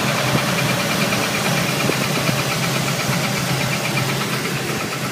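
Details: Pontiac 468 V8 (bored and stroked 455) warm at operating temperature: faint rhythmic high chirp from the engine rear, also with belts removed; #8 exhaust hydraulic roller lifter found galled, flat-spotted and crunchy; suspected cause, not confirmed.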